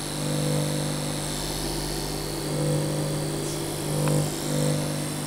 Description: APC BI850SINE Humming sound on inverter mode.